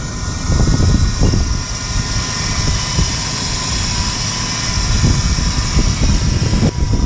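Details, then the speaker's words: GMC Yukon at -21 °C (-6 °F) after failed crank then booster pack start: low steady idle partly buried under gusty wind noise; no obvious fault, normal cold idle. "all right oh it started installed There She Goes she's running"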